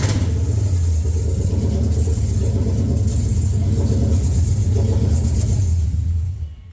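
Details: 2014 Mustang GT with standalone Coyote V8 swap, first start with no O2 sensors or MAF connected, so revving is limited: a deep, even rumble with throttle blips that rise and settle cleanly, no knocks or misses. Normal running.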